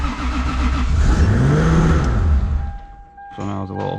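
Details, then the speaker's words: 3.4 stroker 2JZ in a JZX100 after assembly, E-throttle table raised: engine settles at a fast, raised idle for a couple of seconds before dropping off; idle set a little too high, to be turned back down. "it's a little too high. We'll turn it back down and go from there."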